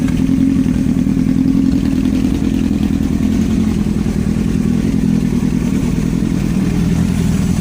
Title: Yamaha R1 стук двигателя